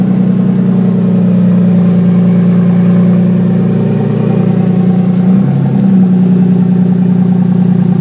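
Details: 1965 Mustang with 2JZ six-cylinder swap, newly fabricated exhaust: downpipe into Dynamax race bullet muffler, running beside driveshaft and over rear axle; deep, smooth burble with brief throttle blip, steady and even, no leaks or rattles; normal running.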